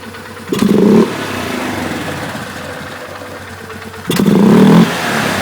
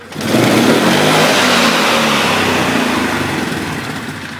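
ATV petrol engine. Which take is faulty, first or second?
first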